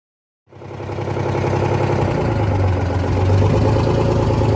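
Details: Detroit 6V53 two-stroke diesel in a Kenworth/RFW 6x6 off-road garbage truck, started after sitting at least four years: catches within half a second and settles into an even, steady low drone with no knocks or misses; healthy running.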